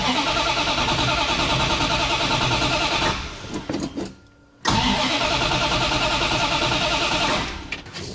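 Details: 1965 Plymouth Satellite after fitting Edelbrock RPM intake and Quick Fuel carb with electric choke, carb given a squirt: steady cranking about three beats a second, pause, more cranking, never fires; cause unconfirmed.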